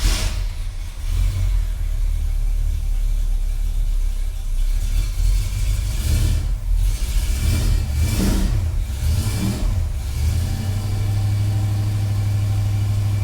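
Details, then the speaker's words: Cold 1965 Ford Galaxie V8 with headers, just after new exhaust sealing and a transmission install, idles with a deep, even burble and clean throttle blips. No ticking or puffing at the manifolds, so the exhaust sounds sealed; a whistle from the motor remains. "Does sound good. Well, it sounds like it did before without exhaust leaks. Maybe it's got like a little bit more of a like a tinny sound to it, like a, you know, something with headers, because it does have headers."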